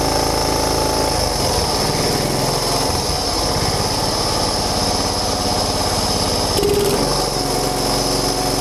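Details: John Deere Hydro 175 riding mower, not running before, after replacing wrong BR8ES spark plug with correct BR5ES: small single-cylinder engine catches and settles into a steady, fairly even run with light buzz; starts and runs fine.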